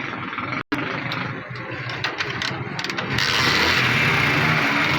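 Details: Bike engine at idle with light, fast metallic tappet ticking over the firing beat; top-end tappet noise suspected, not confirmed.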